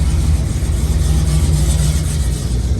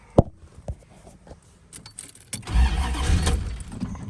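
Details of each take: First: Square-body Chevy C10 truck ("Dale") with EFI, boosted: a steady, even low rumble with no misses, knocks or hunting once it catches; normal running. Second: Classic Chrysler not started for two or three months, pumped before cranking: keys rattle, then two bursts of steady cranking that never catch; no-start from empty fuel tank, ran after adding a gallon of gas.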